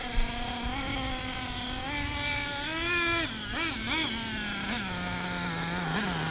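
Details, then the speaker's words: Hobao nitro RC engine being tuned: small engine buzzes at a fast, high-pitched idle with light blips; idle set a little too high, causing the problem, and top-end mixture running rich. "Idle's a little high. That's what's triggering that."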